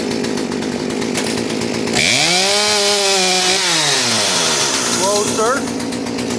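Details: Poulan P3816 38cc chainsaw after fitting a new carburetor and fuel line kit, before mixture adjustment: it revs up, then the pitch sags and falls back instead of holding, bogging out from a mis-set carburetor mixture.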